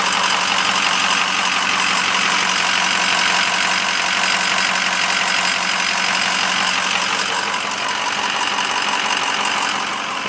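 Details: 2006 Ford 6.0 Powerstroke diesel at idle: steady, fairly even knocking, about three knocks a second, over a bright clattery hum.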